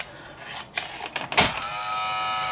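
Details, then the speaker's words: Roctec RF332C external floppy drive on an Amiga 500: drive clicks normally, but inserting a disk brings scattered clicks and clatters then a constant whirring hum, and Workbench reports the disk as bad. "but watch what happens when i insert disk everything goes crazy"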